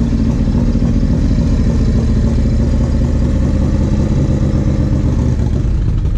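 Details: 1994 Harley Road King FLHR, original 80" Evo, CV40 carb, Carl's heads, Screamin Eagle air cleaner and 2:1 exhaust: uneven, stumbling, misfiring beat on light throttle, caused by a carb fault and fixed by a carb rebuild.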